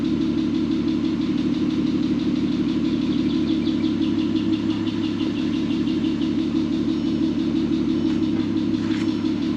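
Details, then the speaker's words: VW R32 started after 10 years sitting, once the timing chain had been redone correctly: a smooth, even idle with a steady low hum and no rattle or misfire, though the owner mentions a slight ticking. "She's a purring like a kitten. Oh my goodness. You know, all it needed was just a timing chain done correctly."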